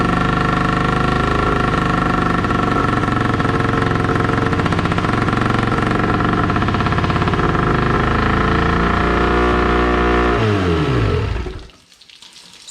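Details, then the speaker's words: 1996 Johnson 25 hp two-stroke tiller outboard on hose muffs, new fuel line and primer bulb, carb float freed, fresh ethanol-free fuel: runs rough about ten seconds then sags and dies unless bulb pumped; no water flow either. "all right so a couple issues um it's not staying running unless i pump the ball also we're not getting any water so that's something i'm going to have to look into as well"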